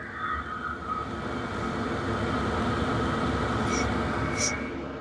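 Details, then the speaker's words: Vevor diesel heater after one year of shop use, older diesel, up to full temperature, mic brought close: only even, steady fan air rush, no pump ticking as pump works lightly once running; normal full-power run. "All you can really hear is the fan. You don't hear that pump anymore cuz now that it's up to full temperature and up to running, that pump isn't working all that hard to keep the fire going."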